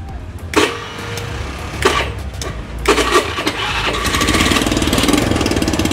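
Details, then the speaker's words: Honda Beat scooter after starter repair for clicking starter: a few starter bursts, then it catches and settles into a steady even putter; starter now works normally, exhaust sounds like it may leak. "starternya sudah mantap lancar jaya ya teman-teman"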